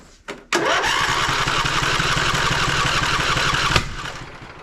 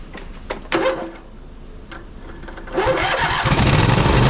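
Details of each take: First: Poulan Pro 700EX riding mower twin, run on the suspect cylinder alone with other plug removed: one sharp pop then about three seconds of uneven cranking that never catches; that cylinder lacks compression, bent push rod suspected. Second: Poulan Pro 700EX riding mower twin with both spark plug wires reconnected: a few cranking pops, then it settles into a steady, even run on both cylinders, smoking as the long-unused side burns off; everything works properly.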